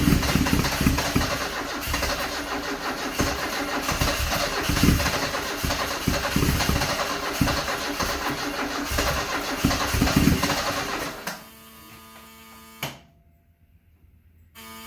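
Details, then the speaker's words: 1974 Alfa Romeo Spider Veloce, 10K original miles, stored 30 years; cranking with accelerator floored, dry with little gas smell: uneven starter churn about 3.5 turns per second, no firing; fuel pressure light on, owner later suspects flooding. "That sounds a little better. The fuel pressure light is coming on when I pump it. It's trying."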